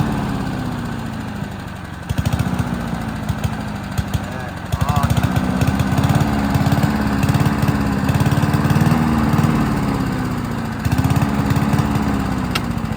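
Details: Honda HRC216 mower with GCV160 engine, hot after mowing and needing choke to start, running on its original carburettor: speed hunts up and down every few seconds, stumbling and recovering; surging from a faulty carburettor, later swapped for an Amazon replacement.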